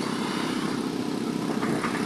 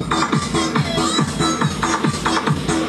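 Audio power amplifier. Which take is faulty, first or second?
first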